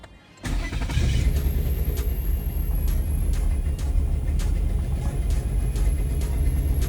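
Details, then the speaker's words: 2011 Nissan Teana, first start after engine replacement with muffler not fully connected; engine catches into loud, deep, booming rumble with little top end; exhaust leak from unconnected muffler, check and battery lights on. "okay, so the muffler isn't fully connected now, so that's why it sounds extra low."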